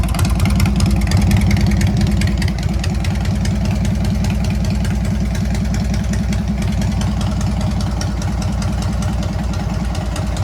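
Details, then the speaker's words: Harley-Davidson Sportster 883 converted to 1200 with Wiseco pistons, rings and cylinders, first start during heat cycle, 79 degrees, 105 on the pipe; lumpy, uneven V-twin idle with strong low thump, no knocks or rattles: normal idle. "Wow, don't sound bad. I'm supposed to rev it. I'm supposed to be doing a heat cycle. 79 degrees. 105 on the pipe. Sounds good. Sounds good."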